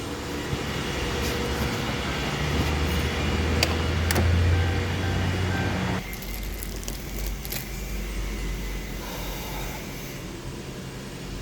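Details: 2007 Lincoln Town Car V8 after replacing faulty cylinder 7 ignition coil: steady even idle, smooth low rumble, no stumble; power balance shows no misfire, codes cleared. Normal idle after repair.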